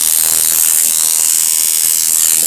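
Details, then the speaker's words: Coil tattoo machine (weak rear spring) driven by an electronic pulse generator at 80 Hz, duty cycle raised past 40–41%: fast, thin, slightly ragged buzz as running decays from too high a duty cycle. "41 duty cycle and it just begins to decay any further above 41 but like i said earlier every tattoo machine is going to run differently"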